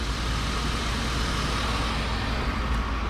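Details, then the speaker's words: BMW E34 wagon with donor fan clutch just installed, engine not yet warm: loud steady whooshing roar over the engine, like a bus; fan clutch locked up and working normally. "so i got the fan installed and i know it works because it makes crankband noises take a listen you always know when a crank fan is working because it sounds like a bus 41."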